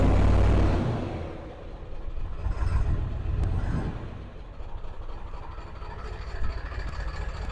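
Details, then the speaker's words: 7.3 Powerstroke diesel just restarted after injector work, a puff of smoke: deep uneven clatter with idle surging and sagging; rough idle persists, cause unknown. "we're alive a little pop of smoke there oh a little idle search all right let's get a little rest still not 100 happy though"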